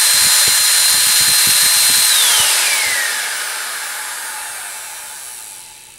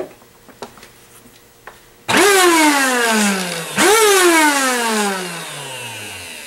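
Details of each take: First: Eureka Airspeed One vacuum cleaner that ran too loud: bare motor run with cover off after clearing crud out; bearings seemed a little rough. Smooth steady high whine with no rubbing or rattle, then even coast-down; crud suspected as the cause. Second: Eureka Airspeed One vacuum cleaner running too loud, isolated to the motor: starts twice, each time a harsh high whine spinning up then sagging in pitch; fault traced to the motor.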